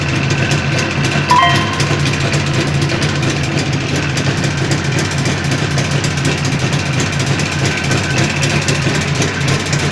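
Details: Jawa 638 two-stroke with a tired cylinder-piston group, mid-build: steady idle with a sharp, regular ticking knock over it, from crankshaft knock and timing-chain rattle.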